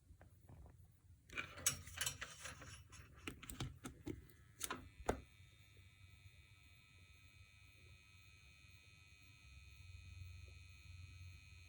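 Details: ART Tube MP V3's 9VAC power adapter: after clicks and handling, a loud steady high electrical buzz over a low hum from the adapter.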